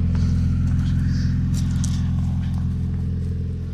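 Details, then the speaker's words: 1995 Honda EG with B16A3 turbo kit and intercooler, 3-inch downpipe with resonator, flex pipe and 3-inch exhaust with resonator and muffler, hood shut: smooth, steady low hum with even pulse, no ticks or knocks; very quiet, healthy idle. "this thing is incredibly quiet once you shut the hood you cannot even tell this thing is running"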